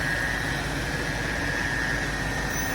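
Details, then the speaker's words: BMW 545i/645 SMG after shift sensor repair, idling with the SMG hydraulic pump, reservoir and nitrogen accumulator running; smooth even idle with a faint steady high pump whine, no knocks or rattles, sounds good. "sounds good don't it it's not noise it's not manging"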